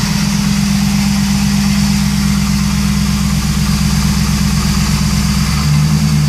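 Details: 2001 Pontiac Trans Am WS6 V8, M6 manual, 41,4XX miles: steady idle with a light regular tick, louder than when bought last August, quieting after about 20 minutes but not completely; owner suspects piston slap, bent pushrod or lifter tick.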